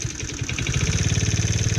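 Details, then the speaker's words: TaoTao 110cc mini quad, fast uneven idle with small chuffs and breathy hiss, oil everywhere; owner assumes rings and top end worn, low compression; excessive blow-by. "and it stays running like I said that's a lot of blow-by well with oil everywhere"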